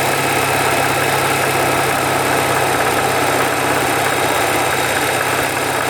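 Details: 1985 Porsche 944 engine: steady run with a faint irregular knock around two per second, appearing at about 2,000 rpm; owner suspects rod knock, unconfirmed.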